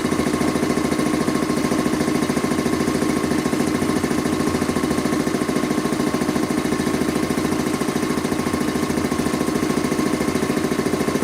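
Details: Rebuilt Quincy 325 air compressor on its test run after head and valve rebuild, pumping up the tank (no in-tank check valve): even, crisp beats at about 3.5 per second with no knocks. Normal running; the discharge valve holds pressure.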